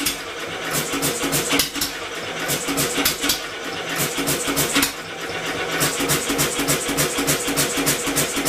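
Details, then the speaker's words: Homemade four-stroke double-expansion engine converted from a two-cylinder air compressor, first firing, still driven by electric motor assist: uneven firing at about three beats a second under motor hum; it can't keep itself turning. Owner suspects the flywheel (original pulley) is too light. "couldn't quite pull itself over close but no cigar at least we have a semi Runner"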